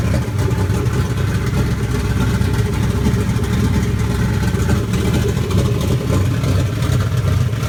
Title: 1UZFE Turbo KE20 Corolla Big Custom Kelford Cams Rough Idle